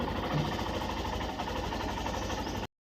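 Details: Hero Glamour Xtech motorcycle with intermittent starting problem, neutral light showing, started: single cylinder ticks over at an even three to four pulses a second, steady and smooth; normal idle.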